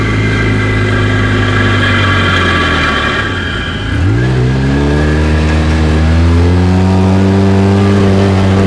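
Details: Polaris RZR on deceleration: a rough whooshing grind under the engine note as revs drop, fading when throttle returns. Cause undetermined.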